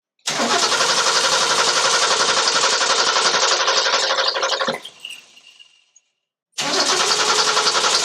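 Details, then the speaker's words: Classic Ford 250ci inline-six just after swapping Autolite 1100 for 1101 single-barrel carburetor, mixture screw set 1.5 turns out: lumpy uneven running, sags and dies, restarted; idle too low and rough, owner suspects too little mixture. "Nie wiem jeszcze jakie ma obroty, ale niskie. Słychać, że ma niskie obroty."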